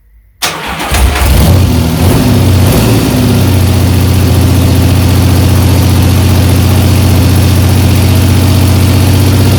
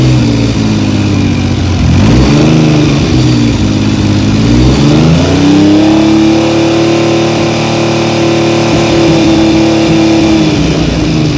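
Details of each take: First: 1975 Triumph Trident T160 on its first start after a full rebuild, cold, with the choke being turned off. It catches after a brief crank, then gives a loud, deep, tractor-like blare because the loosely fitted exhaust has come off again and is blowing open. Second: 1975 Triumph Trident T160 after a full rebuild, held at about 3000 rpm for a strobe ignition timing check: a smooth, even three-cylinder note with no knocks or misses. The engine is healthy and the timing reads virtually dead on.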